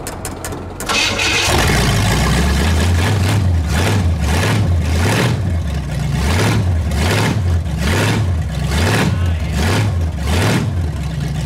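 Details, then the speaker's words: Pontiac Bonneville 455 V8 with exhaust removed, first start in perhaps a month and a half or more: catches after a brief crank, then deep loud lumpy burble with rhythmic revs, no knocks; running healthy with open exhaust. "see what it sounds like without that crappy exhaust probably been a couple months since I started it last maybe a month and a"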